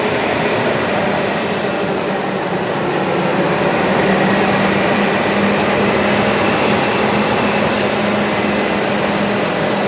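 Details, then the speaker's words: 2004 Ford F-250, 5.4 L Triton engine, at idle: a steady faint low hum under an otherwise even idle; online sources blame the PCV, but the owner questions this, citing conflicting info, and plans to get it checked. Cause unconfirmed. "It does have a weird little humming sound at idle. I've looked it up. People say it's just the PCV."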